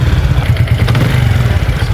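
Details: Honda Biz 100/110 (Pop 100/110 engine) idling with a light, fast tapping knock over the exhaust beat, steady with engine speed; cam chain tensioner/cam chain noise warned about, worn engine suspected.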